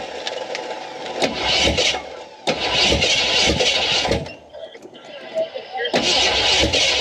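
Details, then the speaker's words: Craigslist 360 FE V8 with Hooker headers just installed in 1973 Ford F250 2wd farm truck, temporary distributor wiring and bottle-fed fuel: several cranking bursts, then catches and fires on its own between blips; normal start. "gas did you hear that it ran it yeah I I got to come up with a better fuel system than this but a water bottle I don't think you can make it very far with that it runs sweet dude"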